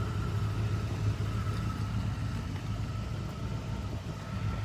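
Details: 1986 Ford F150 at idle after both fuel tanks and sending units were replaced: quiet, steady low idle with an even beat and no stumble or ticking. Small oil leak, smoke puffing from the exhaust and gauges not working were noted. Idling normally.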